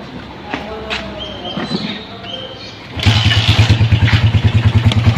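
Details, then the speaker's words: Rusi 175 single-cylinder motorcycle with 7.2mm aftermarket cam, starting with idle set very low so it stalls: fires up with a choppy, loping pulse about three per second; cam noise judged slight, almost stock-like. "Yan mga tropa, marinig niyo kung maingay talaga yung camp."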